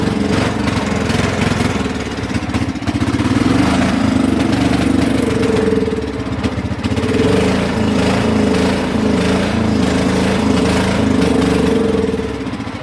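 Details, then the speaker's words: Cub Cadet HDS mower that had been running on bad gas, driving under its own power. The engine drones, then sags and swells, hunting and acting like it will die: poor running and surging. Cause not confirmed. "But she's running on her own poorly. And she did drive."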